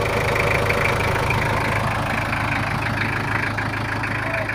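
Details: Toyota Kijang LGX 2.5 diesel idling after service, previously rough with valve clearance due; now not as rough as before: steady, even clatter with a firm low thrum, no misses or lumpy beats, normal smooth idle.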